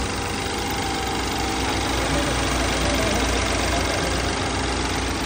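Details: Low-mileage BMW 528i F10 with engine shake and an oil leak, cold morning start before any service: an even, fairly fast rattle over a steady idle. It is reportedly not this loud when the engine is warm; cause not yet found.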